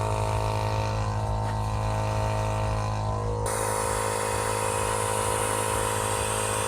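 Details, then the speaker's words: Audi A6 C5 2.4 V6 petrol intake pressure test with tire-inflator compressor: steady compressor drone, then a faint airy hiss of air escaping; leak traced to intake gasket seals. "In my case, I can clearly hear a hissing noise in this area."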